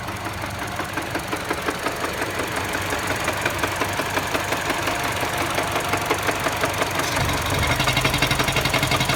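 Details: Mini Cooper petrol engine idling with a steady, regular knock of about three beats a second, diagnosed by the five senses.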